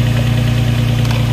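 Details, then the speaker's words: Engine jump-started with a Jump-N-Carry box using the override after sitting 8 or 9 months with a completely dead battery: deep, steady low hum with an even, unbroken pulse and no knocks or misses; normal idle. "The battery's completely dead, and that just jumped it. That's awesome."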